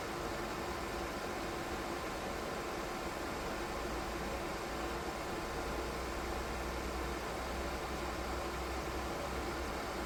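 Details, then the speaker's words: DIY 3D-printed soldering smoke absorber with 12 V 120x25 mm fan and PWM speed controller, run at maximum power (maker rates 44.4 dB max): steady even air rush with faint fixed hum, no ticking or rubbing; fan healthy. "чим потужніший вентилятор Тим більш він гучний регулятор допомагає знайти баланс між потужністю та рівнем шуму для початку проведемо тест на максимальній потужності"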